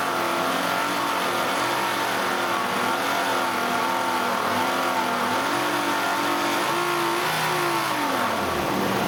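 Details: Nissan Elgrand E51 (ME51, 2008, 2.5L, about 90,000 km) revving through the mid range with a wavering, shifting tone on top. The abnormal noise occurs only with the AC compressor running, from about 2000–2500 rpm. It has lasted about 3 years and its cause is unknown.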